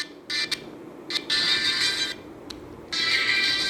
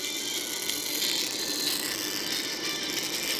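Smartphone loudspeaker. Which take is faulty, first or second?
second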